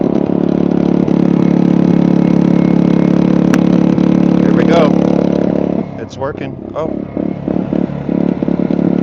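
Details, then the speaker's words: Generator charging through a replacement Sungold 3000W inverter charger, with the charger set to 15 amps. A steady drone abruptly drops and turns uneven and choppy as an overload fault trips. The charge current is being cut to 10 amps. Generator overload trip. "Okay, I've got a there was an overloaded fault on the generator. Let me go back in here and kick this down to like 10 amps. Yeah, this thing was asking for 40 amps."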